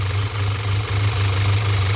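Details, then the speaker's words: 2014 Audi A4 2.0 turbo, misfire complaint, code P0171 system too lean at idle: shaky, uneven idle that sags and recovers with air-sucking sound; PCV valve stuck open causing vacuum leak. "as you can hear that's causing the whole problem and also you can hear right away sucking air that's a really common problem"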